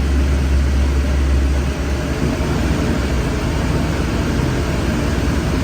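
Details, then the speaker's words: Duramax diesel after new fuel lines and bleeding, check engine light back on: deep idle with an uneven, lumpy beat under a steady drone, running rough; owner suspects air in lines or the fuel filter head. "oh by the way the engine light did turn on again running rough let's smooth it out a little bit"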